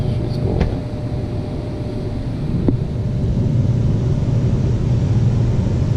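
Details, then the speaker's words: AC compressor that would not start, capacitor rated 45 µF measuring 42, after tapping it with a rubber mallet to loosen the scrolls: steady low hum with no knocking or stalling, drawing 9 amps; now running normally. "sounds a lot better there we go 9 amps that's good"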